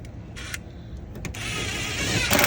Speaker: Sometimes it'll, well, because they're reversible, so like it'll spin one direction and realize that's not the direction it should be spinning, and then it spins the other way.